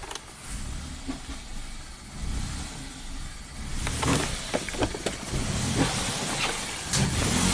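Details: 2017 Ford Focus after owner swapped in a used DSG transmission with a new dual clutch; won't hold idle and stalls; no fault codes stored. Intake pipe off, MAF unplugged: stumbling, surging with pops, backfiring into the intake manifold. Cause unconfirmed.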